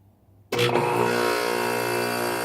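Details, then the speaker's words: Rheem central air conditioner outdoor unit starting in cooling mode in cold weather: sudden loud abnormal burst, then harsh buzzy drone. "Okay, that was a really loud noise that way to start it up. It's running in cooling mode."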